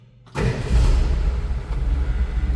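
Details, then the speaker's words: 1965 Ford F100 project truck starting: brief crank, sharp catch, then deep steady six-cylinder rumble settling into even idle; fires straight up and runs clean each time. "Each time I've started this truck, that's how it fires up."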